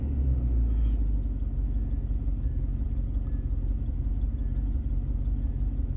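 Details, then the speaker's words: 1994 Range Rover V8 after fuel and EFI repairs, throttle untouched at correct position: deep idle with uneven, wandering beat, less stable and lumpy; owner suspects airflow meter, plans to clean it; cause unconfirmed. "the idol up here is less stable lumpy it was burn that would mind the airflow meter"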